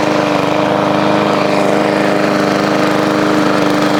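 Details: Push lawn mower, revived from scrap, fresh oil change, primed and started, cutting grass in hot weather: steady, even drone at constant pitch with no surging or sputtering; normal, healthy running under load.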